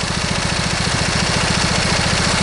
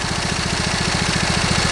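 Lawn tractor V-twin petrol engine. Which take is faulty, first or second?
second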